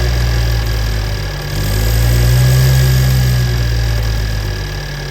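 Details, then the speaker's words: BMW N20 428i (F32) after timing chain tensioner upgrade, started with intake left unplugged: deep idle with uneven pulse about four times a second swelling and sagging; rough idle from disconnected intake. "I forgot to plug the intake back on. Um look at it. Yeah, no wonder I was like, "Why is it idling all weird?""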